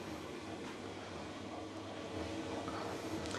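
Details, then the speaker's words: Newer-model 7 kg Electrolux clothes dryer after drive belt replacement, test running: steady low rumble with soft uneven thumps of tumbling load, drum turning smoothly without scraping or squeal, still turning clockwise rather than reversing; normal drum tumbling. "Is it going to go in the other direction? No, look at that. It's going in the same direction. It's going in the clockwise direction again. That is really weird. That is very weird."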